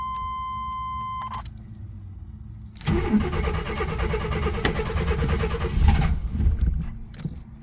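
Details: Vehicle with 132,000 miles, with about five-year-old fuel: warning chime, brief crank, catches cleanly and settles into a steady, even idle; normal start and idle with very good oil pressure and good battery voltage.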